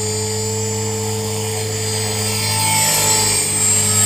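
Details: Trex 450 helicopter with a Common-Sense RC TR450-35 3500kv motor and 13t pinion, test flight: steady high-pitched squeal over the rotor and motor whine through spool-up, constant with speed; bad main shaft bearing.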